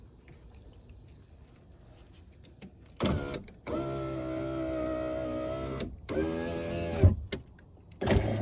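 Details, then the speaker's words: 2004 Toyota RAV4 power window after refitting glass that came off its rail: motor hums in strained bursts, glass travels slowly, labouring and dragging in the channel, doesn't sound good going up; dry lube then applied to tracks; slow power window. "ah sort of need a power that doesn't sound good going up doesn't sound good let's wet the whistle a little"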